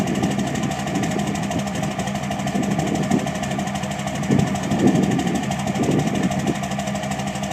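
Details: 2006 Cummins diesel idle stumbling unevenly, with lumpy surges breaking the beat mid-run: rough idle, cause not yet identified.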